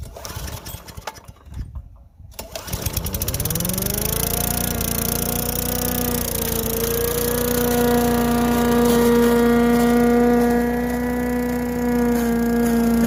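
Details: Craftsman Eager 1 4hp chipper vac (987.799790), vacuuming long wet grass with bag fitted: catches, climbs smoothly, steady even drone under load, no misses or knocks. Normal running.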